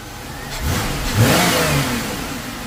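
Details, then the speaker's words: 2001 Chevrolet Impala 3800 V6 after ZZP upper intake manifold install and new injector O-ring: smooth steady idle that revs cleanly and settles without hunting or hiss; vacuum leak from the poorly seated injector believed fixed. "I think that new O-ring fixed that vacuum leak, or that, you know, fuel injector not seating correctly."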